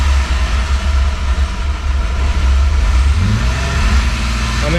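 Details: Ute with L67 engine, drift build, started via newly wired push-button switch panel in neutral with fans running: catches and settles into a steady low rumble, then revs cleanly; normal start and rev.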